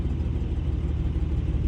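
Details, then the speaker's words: Abandoned 1951 Dodge six-cylinder, just revived after new fuel pump and battery: low steady rumble holding an even idle on its own, no stumbles or knocks; idling fine. "Oh my god, it idles. Oh my god, shit's idling. It's fucking sitting here running. That old Dodge 6-cylinder is running like a fucking song, ladies and gentlemen."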